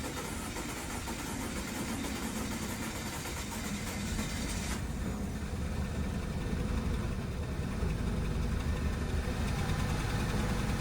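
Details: 2012 Audi Q5 2.0T B8, 103,000 miles, severe oil consumption, just restarted with old plugs after carbon-cleaning treatment: shaky, lumpy rough idle with uneven low thumps, white smoke, flashing check engine light; misfire, likely from stuck oil rings.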